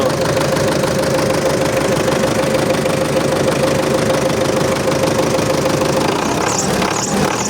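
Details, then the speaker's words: MTZ-82.1 diesel tractor on its first start after the fuel pump was rebuilt, hot weather around +40. A thin steady whistle sits over an even idle, then fades. Source unknown; owner guesses the pump is not yet lubricated with oil. Exhaust smokes slightly, less than before. "Щось свистить, не пойму що."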